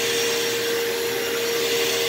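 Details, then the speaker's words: Partly repaired vacuum that is hard to push: a steady high motor whine with a strong tone near 450 Hz and an airy rush. The motor runs and suction is much better than before, but the motor still needs more work. "yeah motor still needs some more more work but i mean it is working it does have a lot better suction than i used to"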